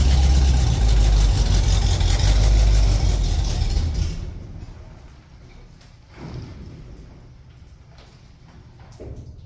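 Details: 1974 Ford F-250 Camper Special farm truck, V8 started after a couple of years of storage: deep, even rumble about four beats a second for four seconds, then fades off; runs steadily.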